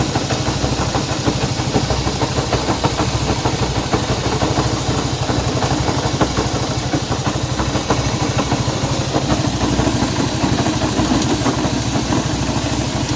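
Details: Honda CB190R motorcycle engine noise at idle: loose, uneven ticking clatter about three a second over the single-cylinder exhaust beat; abnormal noise inside the engine, cause unclear.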